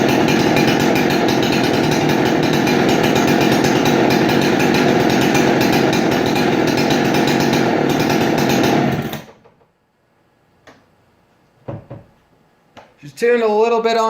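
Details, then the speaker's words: Husqvarna 371XP chainsaw, a barn find just serviced with a fully adjustable Walbro carb and a dual-port muffler mod, passed pressure and vacuum tests: a strong, even high-rev drone held about nine seconds. Slightly rich, but it runs great. "rich side but that's okay runs great"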